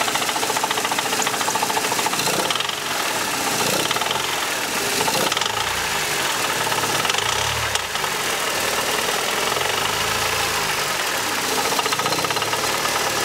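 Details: Mercedes C124 230CE, 2.3 M102 petrol engine: harsh steady metallic rattle over low idle; exhaust, heatshields and torque-converter flex plate checked and ruled out, source not pinned down.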